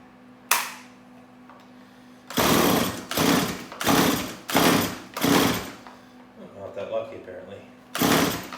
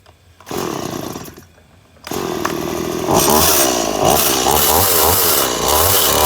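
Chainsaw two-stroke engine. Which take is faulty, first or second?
first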